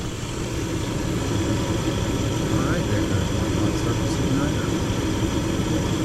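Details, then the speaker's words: Gas furnace in a house that had no heat on a cold morning, running after the gas was turned on and the pilot lit, before a carbon monoxide check. Steady low roar of burner and blower, even and unbroken, with no pops or rumbles: normal operation. "if there's a call for heat as soon as the power comes back on it's going to run the blower for a minute before it tries"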